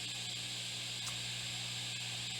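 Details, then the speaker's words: 1964 Fender Deluxe Reverb tube amp after restoration (filter caps, tubes, biasing), speed about 5, intensity 10, guitar volume up; only soft steady hiss with faint low mains hum, no crackle or pops; normal quiet idle noise. "As you can hear, this amp is quiet as a mouse. Well, not quite a mouse, but anyways, the amp works great, sounds great."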